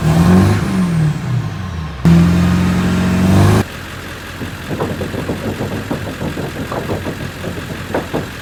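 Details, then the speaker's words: 2000 Ford 7.3 Powerstroke diesel dually, manual, after replacing fuel lines and oil temperature sensor, adding oil, bleeding lines, ether start: strong revs rise and fall cleanly, settles to steady clattering idle without stumbling; healthy. "Just a couple fuel lines, the engine oil temperature sensor, and adding some oil. Bled the lines a little bit. It's a little bit starting fluid, and she's good to go."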